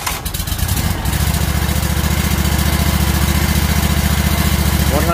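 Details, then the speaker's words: ZK mower just after an oil change, with the oil reminder reset: fires up and settles to a steady, even low idle at about three and a half beats a second, kept low to recirculate oil; normal idle. "Keep it low idle for a while, let it recycle, get all that oil back into the engine."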